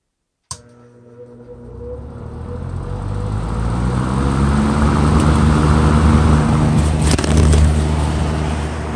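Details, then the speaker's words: Wards 12-inch window fan with Redmond motor, unused almost 40 years, motor not yet cleaned: click at switch-on, low hum climbing smoothly over four seconds to a steady strong whir; normal startup. "for those of you who like to hear the startup sounds I'm going to turn it back on again"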